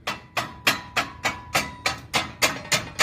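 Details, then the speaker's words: VW Polo TSI front-end noise: sharp, even clacks about 3.5 per second as front is rocked, from a loose rivet under the bumper reinforcement that loosens over bumps. "ele tem um Rebite aqui embaixo pessoal ó aqui embaixo ele afrouxa numa batidinha não quando você pega uma valeta alguma coisa e fica esse barulho chato aqui ó a gente vai tirar esse Rebite e vamos colocar um parafuso com porca fechou"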